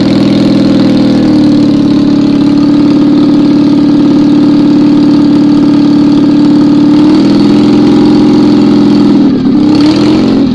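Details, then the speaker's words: Citroën 2CV flat-twin rebuilt as 652cc conversion, rejetted Solex twin-choke, 123 ignition, first start with no exhaust; loud, even unsilenced beat holding steady and picking up cleanly when blipped, running smoothly and healthily. "I think we can call that success"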